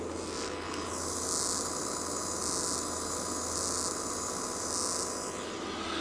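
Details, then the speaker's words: Pyle-Pro PTA1000 1000W switch-mode DJ amplifier at full volume with no signal playing: steady low mains hum under a constant high hiss heard through the speakers; not a quiet, audiophile amp. "it's not it's not the quietest of amps but it's not it's not an audiophile"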